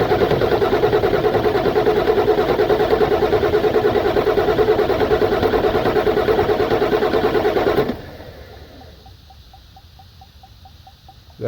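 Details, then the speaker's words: 1996 Ford F-250 7.3 Powerstroke diesel that died while driving, pulling air through fuel lines: steady starter cranking about 2.5 beats per second, never catching, fuel bowl not filling from the tank; crank no start, no fuel delivery. "doing anything it looks like it's squirting down there but the fuel boy filling up so we're not getting fuel out of the tank so"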